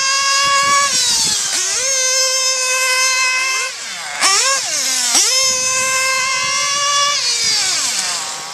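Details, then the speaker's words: OFNA Hyper 7 buggy with O.S. .25XZ nitro engine, aftermarket tank fitted: screams at very high revs, dipping and surging unevenly, badly needing retune; finding: nitro engine out of tune. "It's in dire need of a retune, obviously, but nonetheless, it was still screaming its tits off."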